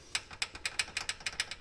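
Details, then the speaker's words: Polaris Ranger rear clunk, in neutral, wheel rocked by hand: sharp uneven metallic clacks about seven a second from loose brake pads rattling in the caliper; fix is springs in the half-inch gaps pushing pads off the rotor. Original axles were fine. "this is the sound that we were picking up so what I'm going to do I measured this gaps about a half inch I'm going to put a spring in here on each one of these on each side which will force these brake pads out away from the rotor"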